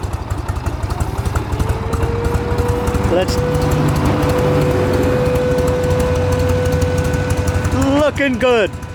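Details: Rebuilt 1979 Harley-Davidson FLH Electra Glide Shovelhead with engine mods (Jim's hydraulic lifters and pushrods) and a new clutch and chain. Loping, even V-twin idle thumping steadily under a nearby fire siren. Idles cleanly.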